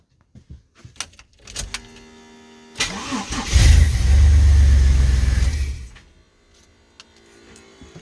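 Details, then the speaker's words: Bagged Chevy S10 with fuel priming issue: starter churns a few seconds before the engine catches, revs briefly and shuts off; fuel pump only comes on with oil pressure, bypassing the fuel pump relay. "yeah so the problem is it will come on when there is uh oil pressure basically to bypass the fuel pump the fuel pressure relay"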